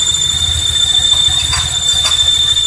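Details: Honda Vario 125 ESP scooter at idle: thin steady high-pitched squeal over soft putter, gone when throttle opened; caused by hardened, stiff crankshaft oil seal, fixed by replacing the seal.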